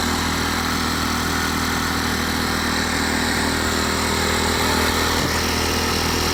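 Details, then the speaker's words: Champion 2500 W dual-fuel inverter generator, brand new, first start, eco mode switched back on: even, steady drone with smooth regular beat, no misses, knocks or surging; sounds pretty good, normal idle. "There's eco mode on. Sounds pretty good. Start right up."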